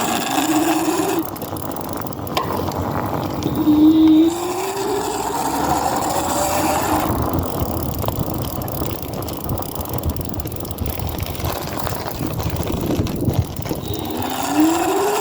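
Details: BeeCool e-bike hub motor whining up and down with speed over a rough, gritty grinding as the wheel turns.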